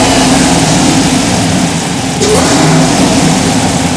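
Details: Third-gen IROC-Z revved by hand throttle after a tune file upload: raspy puffing tick on the exhaust note as revs rise; exhaust leak still to be fixed.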